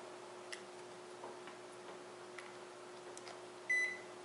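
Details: Electrolux MEF33 220V microwave, just plugged in after fitting a replacement keypad membrane (buttons previously unresponsive): quiet room, then a single clear high beep as power comes on; the control board starts up normally.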